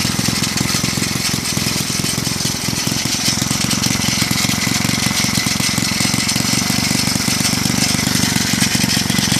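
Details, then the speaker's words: Villiers C12A small engine, unrun for about 25 years, choke off, no air filter: rapid uneven popping with gritty scraping, probably from the loose flywheel cover rubbing; runs rough, owner suspects a partially blocked carburettor jet. "as you can see the Carby probably has a bit of a partially blocked jet or something like that it runs runs a bit rough"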